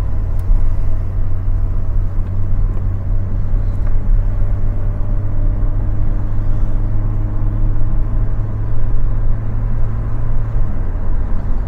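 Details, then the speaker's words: Mk2 Golf with Weber carburettor conversion after fixing the intake manifold gasket, climbing a steep hill: steady deep drone with no stumbles or flat spots. Pulling well; the alternator belt squeaked earlier. "oh yeah it's pulling really well driving lovely"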